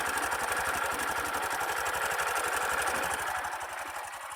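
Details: Sundiro Honda CBF125T motorcycle idling, recorded on phone: fast, even metallic clatter "ka-ka-ka" over the idle, steady throughout, attributed to the engine timing chain; rideability unaffected.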